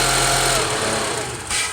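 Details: Honda CR-V failing to start: brief strained electrical whir with rapid clicking chatter, not quite cranking; starter not taking power, fixed by replacing the starter.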